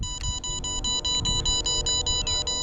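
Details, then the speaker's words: MJX Bugs 3 Mini drone with its battery being removed: steady, evenly spaced high electronic beeps, several per second, repeating without change. Warning that the drone has lost connection to the transmitter. "As you can see, when you lose connection to the transmitter, battery beeps."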